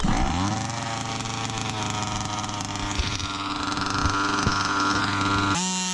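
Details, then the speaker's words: Customer's Baja 5B RC car, two-stroke engine: high buzzy steady run with brief stumbles and dropouts as it revs. Top-end sputter, though the car still drives fine; ring first suspected, then a spark plug or coil. Traced to a collapsed crankshaft bearing. "I want to replace the ring because of that top end sputter. It doesn't sound nice, but the car still drives fine."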